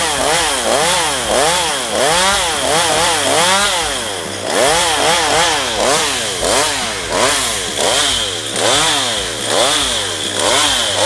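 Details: Stihl MS192TC chainsaw cutting after a carburettor adjustment for hard starting and unstable running: revs dip under load about once a second and recover cleanly; running normally, though owner wonders if it is near end of life.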